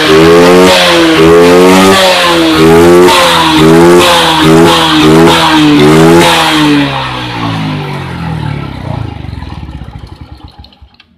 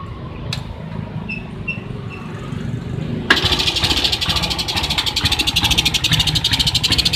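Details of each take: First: Suzuki Smash motorcycle, previously stumbling and dying on throttle from an ignition fault, after the fix with the spark plug cap fitted: idles well and blips up and down quickly and cleanly without cutting out. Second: Suzuki Smash motorcycle idling roughly (degedek degedek), stumbling and uneven, nearly dying at half throttle and dying at full; suspected weak spark; new battery recommended over a new CDI, after checking the charging wiring.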